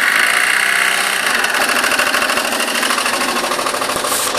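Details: Citroën C3 engine idling steadily with fast, fairly even ticking of about two to three taps a second; something is rattling in the engine, cause unclear.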